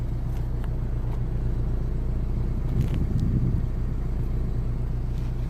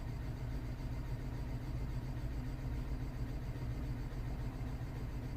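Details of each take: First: 2009 BMW 318i E90, 2.0 petrol, after the cylinder 3 misfire repair: codes cleared, ignition cycled, and a steady, even idle heard at the exhaust with no misses. Possible knock sensor damage is still to be checked. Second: 2009 BMW 318i E90 (believed 2.0 petrol) at idle, misfire still on cylinder 3 after parts already fitted; quiet, slightly uneven lumpy beat; a leaking injector also found on cylinder 4, strong petrol smell at exhaust.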